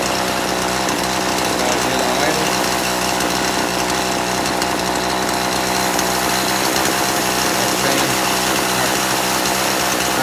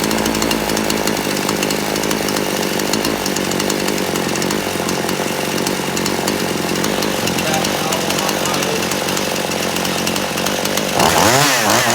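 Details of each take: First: Poulan Pro chainsaw, carburetor deliberately detuned, low-speed screw at 1.5 turns out: stumbles and flattens instead of picking up cleanly when throttled; low end too lean, needs turning out richer. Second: Poulan Pro chainsaw, warmed up hot after adjusting the carburetor screw in until it cleared out; holds a crisp, steady high rev with no hunting or bogging, then clears cleanly; carb tuned right.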